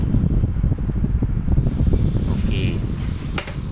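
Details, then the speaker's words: Hatari 16-inch electric fan after a broken blade was replaced with a Sharp blade of a different model and the hub trimmed to stop rubbing; on speed 1 it runs with a steady low airy hum, no clacking, turning freely; normal running. "ก็ลองกดปุ่มต้องคล่องตัวแบบไม่มีเสียงดังแก๊กๆเลยครับ"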